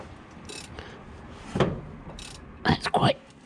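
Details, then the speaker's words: Jaguar MKII engine, during reassembly, turned over by hand: irregular hissing puffs on each compression stroke as compression leaks past spark plugs left finger-tight; owner thinks the plugs just aren't tightened yet. "stiff oh you can hear it hear that it's coming out somewhere it's coming out from one of the spark plugs i think probably the plugs aren't tight yet i think i just put those in finger tight"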